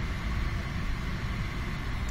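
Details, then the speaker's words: 2010–14 VW Golf/Jetta interior blower motor, newly replaced after the old one failed. Steady even whoosh of air with no cutting out or rattle, blowing from the foot vents at a high speed setting. The old motor would have shut off by now. "you hear that better it's coming out of the nozzles here the old motor would have shut off by now"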